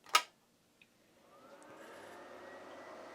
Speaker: Finds the master. Can hear the drive clicking. Scanning for option ROMs, that's normal, motherboard stuff.